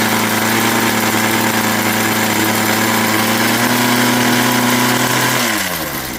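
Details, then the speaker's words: Craftsman 21cc Bushwacker two-stroke hedge trimmer, started after sitting nearly a year, half choke: small buzzing at a steady, even idle for several seconds before winding down; normal idle, runs fine. "And there you go. And I'll just let it idle for a minute here."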